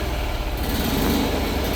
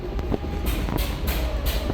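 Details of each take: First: Isetta being restored, running after replacing the Dynastart, fan still off, charging slightly (13.5 seen): small single-cylinder engine at a steady, even fast idle, firm low thrum, no knocks or misses, healthy. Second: Isetta being restored, first start after replacing the Dynastart, fan still off, fuel dripping from the overflow after overfilling: uneven low chugging pulses, about three a second, as the single cylinder struggles to catch, flooded.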